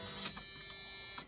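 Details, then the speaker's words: '89 Suburban being rewired with a temporarily slaved push-to-start switch; the warning buzzer works only sometimes: a steady high-pitched buzz lasting just over a second then cutting off; intermittent fault. "remember that noise I said was super super annoying we now love that noise"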